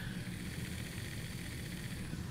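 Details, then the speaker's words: Pioneer CT-F1250 cassette deck after the transport was removed and a wobbly reel part cleaned: soft, even hum and light whir, with no scraping or wobble, running quieter and smoother. "and it's running a lot quieter and smoother now"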